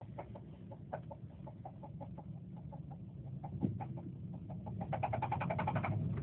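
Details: 2007 Subaru Forester XT with a regular knock about three to four a second that gets louder and busier near the end. The owner suspects rod knock but it comes and goes. The car vibrated a lot toward the end, with no check engine light and no smoke.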